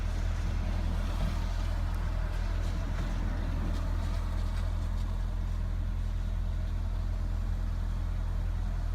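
Low, lumpy idle with an uneven, wavering pulse right after a cold start; the engine is running rough, cause not pinned down. Cause suspected, not confirmed.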